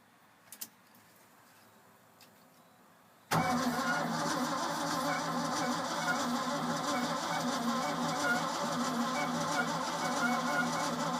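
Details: Old Ford F-600 with a new fuel pump temporarily wired in, out of gear with the clutch held in. Silence, then the starter churns at about three turns a second with no firing. Owner doubts fouled plugs and hopes the carburetor isn't gummed up.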